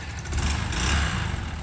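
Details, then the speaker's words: Yamaha YBR motorcycle on a test ride with a newly painted tank. Low, steady engine drone, even, with no knocks or misses. Normal running; the engine seemed alright. "Engine seemed alright."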